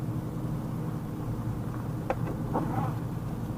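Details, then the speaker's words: 1982 Chevrolet Corvette C3 with Cross-Fire Injection, 17,500 miles, just started and warming up: steady low electric buzz of power window motor over idle, working normally; power antenna also grinds going up. "look in the back there i don't know if you can hear that grinding noise that's the power antenna going up yep that's right the power antenna still works power windows still work"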